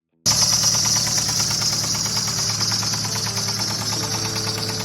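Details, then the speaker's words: 2015 Subaru BRZ engine, heard in the seller's listing video, which says the motor was knocking. Loud running with a fast, steady metallic knock throughout, harsh and rough: engine knock, failed engine. "The description said that the motor was knocking. You can hear in the video it didn't sound the best."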